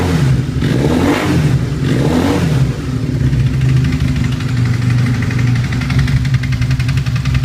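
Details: Honda CBR 450 SR with an engine oil leak; blipped twice then idles with a fast rattly patter that doesn't settle; strange engine noise, cause unknown, bike being sent for repair.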